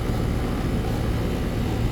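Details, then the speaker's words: AC condensing unit running normally after a bad dual run capacitor was replaced (universal Turbo 2000) on a no-cooling call: steady low hum, even fan whoosh, no buzzing, clicking or rattle. Compressor had overheated; it now draws about 10 A, the condenser fan about 1 A. "e one back on but yeah she's running I know you hear the compressor"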